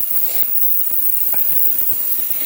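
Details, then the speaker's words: Ultrasonic cleaner with soap and water running a degas cycle: steady high hiss with fine irregular ticking and crackle, no rattle or strain; judged not too loud, though owner probably wouldn't want to stay in the same room; normal operation. "see how loud this thing is that's not too bad I wouldn't want to probably like stay in the same room I guess not too bad"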